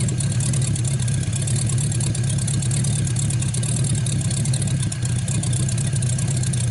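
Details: 1949 Buick straight-eight, first start in years, restarted after cooling down and refuelling after an earlier hard start: deep, steady rumble with even firing, no misses, knocks or ticks; runs really good.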